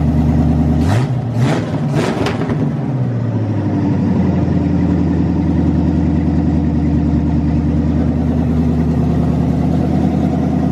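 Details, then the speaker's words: 1985 Corvette C4 V8 after swap from tuned port injection to Edelbrock AVS2 carburetor: three quick crisp throttle blips shaking the car, then a steady even idle; responsive, normal revving. "this thing's pretty responsive. I mean, it it shakes the whole car when when you step on it,"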